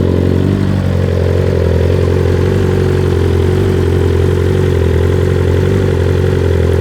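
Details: 2021 BMW S 1000 RR outdoors, first start since fitting Akrapovic titanium headers, SC Project carbon canister and Samco hoses, no tune flashed: a quick rev falls back to a steady deep idle with even firing, no knocks or rattles; runs healthy.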